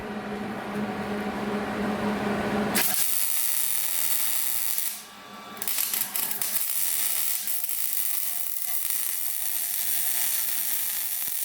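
After a short hum, a steady, even frying sizzle holds for several seconds with only one brief break; the bead is running consistently.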